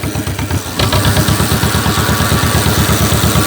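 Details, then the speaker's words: 1949 John Deere Model M tractor, very cold engine and oil; fires and settles into an even steady chuff about three beats a second, no knocks or misses; oil pressure good, charging; healthy idle. "It's running. Oh, pressure looks good. Let's see if it's charging."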